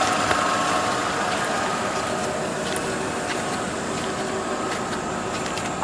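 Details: 2011 Nissan Altima 2.5 SL, 76,000 miles, well maintained with oil changes: low smooth idle with soft hiss and faint light ticking, steady throughout; pretty quiet car, normal idle.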